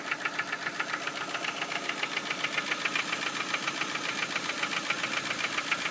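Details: Ford Focus 1 Split Port 2.0 engine: a sharp, regular knock close to four per second over the running engine; clear internal knocking, and the owner does not know the cause.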